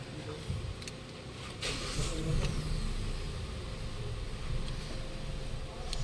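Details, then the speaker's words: 2018 Hyundai Accent 1.4 idling: speed swells up for a couple of seconds, then sags and nearly dies, surging and stalling; a long-standing problem, and a scan showed no fault codes and no check engine light. "matagal na nangyari ito sir yung ganitong problema yung ganyan taas baba yung idling mo Matagal na yan"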